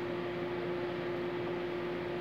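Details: Consul CMA20 microwave heating a cup of water: steady even hum with fan whoosh and faint tone, no arcing, then a click.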